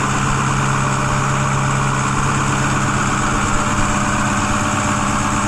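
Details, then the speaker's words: 2010 Ford F-250 6.4 Powerstroke diesel after engine rebuild, cold weather, under hood: steady even clatter at raised high idle, no misses, knocks or smoke; healthy engine warming up. "But overall, I've been extremely happy with this truck. Sounds great."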